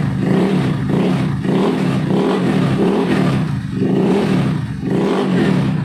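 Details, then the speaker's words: Honda Beat carburetor scooter CVT after repair for a rough grinding noise, reassembled: revved up and down repeatedly with a smooth rising and falling drone, no rattle or clatter; CVT now runs quiet, normal operation. "untuk kondisinya sekarang dia tidak berisik ya berarti penghafalan yang menggunakan metode tadi ini berhasil ya teman-teman"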